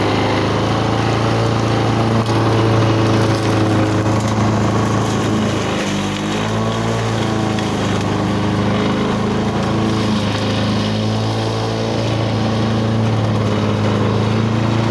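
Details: 1985 Lawn Boy model 7350 two-stroke mower, revived after sitting outside for at least three years, cutting weeds on raised wheels. Continuous buzzing drone that dips slightly under load. Healthy; the owner thinks the RPM is running a little low and may need adjusting.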